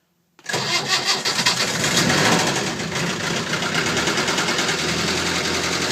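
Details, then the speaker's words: Land Rover Series 3 2.25 five-bearing diesel after 10–15 s of glow plugs in warm weather: fires quickly into a hard, rhythmic clatter that comes in with revs and fades off-revs. Owner suspects timing (confirmed out, popping) or the fuel pump, likely not bearings. "it's quite a good strong engine apart from this knocking sound"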